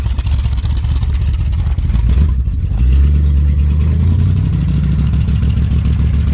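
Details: Dodge street van with new custom side-pipe exhaust, V8 warming up (choke may not be working, runs rich): low rumble climbs smoothly as throttle opens, then holds a steady raised note; not obnoxious, normal running.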